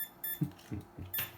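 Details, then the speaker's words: Bantam Desktop CNC spindle test: the motor controller beeps in uneven bursts over dull knocks, at 135°F on its heat shrink and about 156°F inside; overheat warning beeping. "it's probably telling you hey i'm about to catch on fire i imagine that's what that beeping means"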